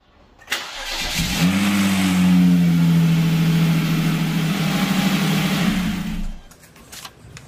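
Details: Hyundai Genesis Coupe 3.8 at engine start-up: cranks, catches and flares with a harsh, busy rattle over the idle.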